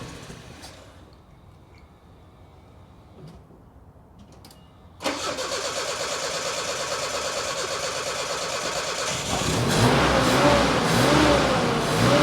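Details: 1985 Nissan 4X4 pickup that sat for years, started using a temporary fuel pump wired from a separate tank; quiet clicks, then it catches at once and settles into a steady idle that rises slightly; healthy start and run.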